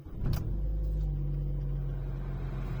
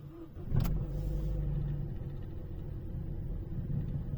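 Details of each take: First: Opel Astra J petrol with LPG, cold start with long-term fuel trim near petrol level (about 1.5%): short crank, then steady even idle with no surging or jerking. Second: Opel Astra J petrol engine with LPG system, cold start; idle gently surges and runs slightly unevenly, caused by fuel trims learned on gas at idle diverging from petrol.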